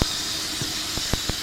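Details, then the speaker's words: 1994 Mazda Proceed 4WD camper, 117,000 km, idling with hood closed: steady airy hiss with a few soft ticks; intake noise from the aftermarket open air filter, otherwise running fine. "i'm gonna close the hood here you can hear that hissing it's kind of the sound that you get from a sports car usually"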